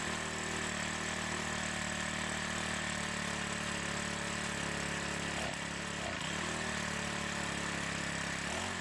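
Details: Troy-Bilt 4-cycle edger with diaphragm carburetor, started after priming gas into the carb throat: small engine holds a steady buzzing run with a few brief wavers, no stalling; running normally, carburetor may still need attention.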